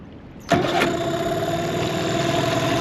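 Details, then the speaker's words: 2003 Mercury 15 hp two-stroke outboard after restoration, electric start and kill switch check: fires instantly and settles into a steady, even buzz; normal start and idle. "what we're gonna do is fire it up select your starter that works kill switch number one kills the motor"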